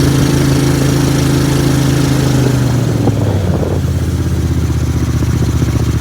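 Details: Briggs & Stratton Vanguard V-twin dual-carb Mud Buddy boat motor, freshly rebuilt after flat cam, on water: uneven throbbing that lurches and drops in pitch, pulsing off the carbs, slight stumble; rich running.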